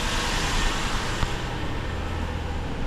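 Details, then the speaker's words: 1995 Lexus LS400 with 160,000 miles, after replacing the intake manifold, fuel injectors and seals, and the ECU for an intermittent misfire, still warming up: steady idle slightly high with no stumbling and not running rich. "okay fingers crossed the fired up fine I don't hear any stumbling uh it doesn't seem to be running rich the idle's fine is still warming up obviously so it's a little high"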